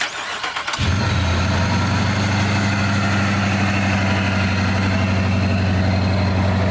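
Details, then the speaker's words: 2018 Dodge Charger police pursuit car rebuild, just fitted with a 50-state-legal supercharger, stock computer without tune: quick crank, catches at once, settles into an even steady low idle with no misses or knocks. "he actually runs really smoothly in and we did not mention this but this is a 50 state legal supercharger lying in it"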